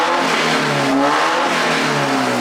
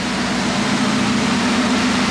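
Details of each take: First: Mazda Miata with catalytic converter cut off, suspected no thermostat, after fixing water leaks, running about an hour without overheating: blips with loud raspy exhaust, pitch falls evenly, no knocks or misfires; runs solidly but smokes heavily when revved. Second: Mazda Miata with the catalytic converter cut off: steady, even idle with a loud, raspy open-exhaust drone and no misses; motor runs solid after sitting an unknown time, though it smokes heavily on throttle.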